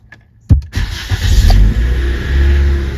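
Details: Car cold start after 12 hours off, new Napa Platinum oil filter fitted to stop dry starts: brief crank catches quickly, settling into a steady even idle with no rattle or clatter; problem solved, clean start.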